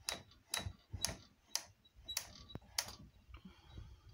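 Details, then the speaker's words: Superba sewing machine racking mechanism after freeing and lubricating: crisp separate clicks about every half second, one per position, no shrieking or drag; moves freely. "Now I can hear the individual positions, not just a shrieking like the opening of a coffin lid."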